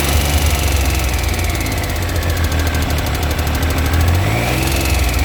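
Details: 2000 Triumph 955i Sprint, cam chain already replaced but original tensioner kept: a fast, even ticking over the idle that quickens with a blip of revs; top-end engine ticking, source not found.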